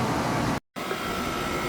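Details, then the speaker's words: Portable air conditioner, previously fan blowing but no cold air with frozen coils because the compressor would not kick on; after fitting a new relay, compressor and fan hum steadily with no cutting out or clicking, no screwdriver bridging needed. "You hear that? That's the compressor running without me bridging it with a screwdriver. Because it's got a new relay in it."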